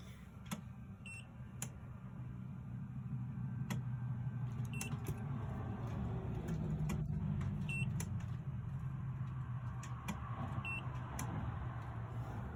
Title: OUKITEL MAKING CLICKING AND BEEPING SOUND